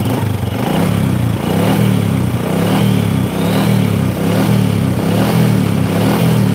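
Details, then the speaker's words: Honda Supra motorcycle that lacks power and tops out at 100 km/h, on short throttle blips, also heard around 4000–5000 rpm when riding: a hollow aluminium-on-aluminium rattle rides on the rising revs; diagnosed as a loose piston. "nah ini ada suara RR tapi suaranya aluminium kayak aluminium sama aluminium gitu loh aluminium sama logam aluminium itu kalau di adu Suaranya kayak gitu ini menggambarkan bahwa pistonnya di sini mengalami longgar"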